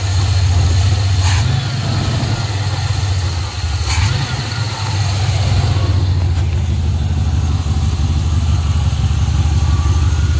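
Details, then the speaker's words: 1980 Pontiac Trans Am Turbo 301 V8 after sitting 18 years, warm idle with exhaust broken off just behind the muffler above the axle: steady, even low rumble with no knocks or misses; normal idle. "so at least it's past the muffler it won't be too loud and it's just shooting right over the frame rail but just sitting here idling that's fantastic"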